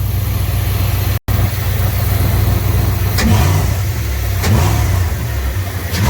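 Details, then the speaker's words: Engine fitted with a new double-barrel air intake with butterflies linked to the throttle, still quite cold: loud, deep note pulling cleanly through several throttle blips and once to the limiter, strong intake roar, no knocks or misses. "oh yeah that sounds awesome took her to limit her there once but she's still pretty cold"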